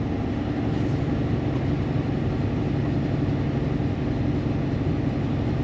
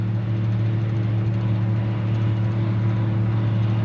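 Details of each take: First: Barn-find Gleaner G combine driving on the road with flat-spotted tires: a steady low engine and gear drone with a continuous rough rumble from the driveline. The transmission sounds a little noisy, humming along; cause unclear. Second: Barn-find Gleaner G combine climbing the biggest hill under load on its variable-speed drive: a deep, steady, smooth drone with no whine, clunk or grind. The transmission sounds fine.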